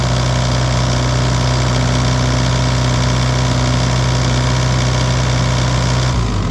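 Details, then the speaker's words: Bobcat E80 excavator diesel after clearing contaminated water separator and changing fuel filters; steady even idle with firm low hum, no stumbling, shuts off cleanly; water-in-fuel light off, normal running after repair. "okay okay so that was the problem starts up real fast and uh the fuel in water in the fuel light went off so we're good to go there"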